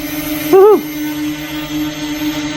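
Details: Smart Drone GT6 with optical positioning on (GPS off), hovering: steady even propeller hum at one pitch without surging, apart from a brief chirp; healthy stable hover.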